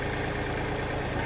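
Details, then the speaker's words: Xingtai 240 TPK 24 hp mini tractor without cab, just started with the clutch pressed: the small diesel settles into a steady, even low chug with no knocks or misses. It runs evenly and normally at idle. "дивіться витискаю щеплення заводжу трактор працює рівно на коробці одразу вибираємо понижений ряд"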